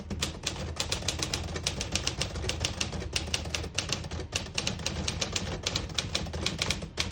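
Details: Serviced 1950 Smith-Corona Silent portable typewriter typing with red ribbon selected: crisp, fairly even key strikes at a brisk pace with clean carriage action, no drag or misfires; working normally.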